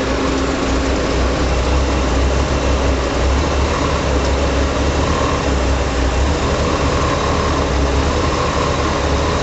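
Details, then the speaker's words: Old Chevy truck running on propane after its regulator was rebuilt with a new kit, still running a little funny while being adjusted: loud low idle rumble with an uneven, lumpy beat underneath, a rough idle. "He actually rebuilt the regulator, so got a new kit for it, but it's still running a little funny. He's trying to adjust it."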